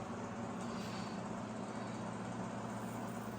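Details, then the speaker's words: Microwave running and heating after magnetron repair (previously clicking with no heating), 30-second test heating soup: steady, even low hum at one pitch with no clicking; normal magnetron hum. "Can you hear the buzzing? It's working. It's working. Ah, it's working."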